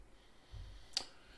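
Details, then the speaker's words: 2010 Honda Odyssey, 125,000 miles, driver-side power sliding door that beeped three times and stayed shut: after epoxy cable/sensor repair set overnight, one crisp click as the plunger is pressed; door sensor switch trips cleanly, working normally. "You can see I'm pressing on the sensor itself, and then right here you can see the sensor plunger activating the switch. So that's how it's supposed to work."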